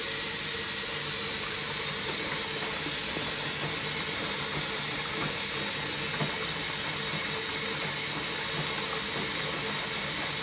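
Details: QFlow 2.5kg compact RV/caravan/boat washer, 700 rpm spin, rinse fill: constant soft hiss of water running in at an even rate, no buzzing or sputter; normal water fill.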